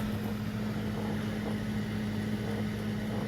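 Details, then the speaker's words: Old 4 ft fluorescent shop lights at 40°F: a steady, low ballast hum as the cold tubes struggle and flicker to light. "you can hear the buzzing they struggle in the cold sometimes I'll heat him up when I come out here my little space heater"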